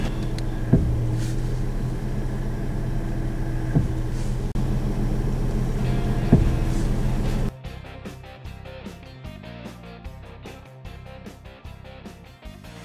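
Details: 2004 Ford Mustang at idle with the steering swung side to side: single dull clunks every two to three seconds, with stiff steering from a worn factory steering rack, before it was replaced with a used rack with grease fittings, which fixed both problems.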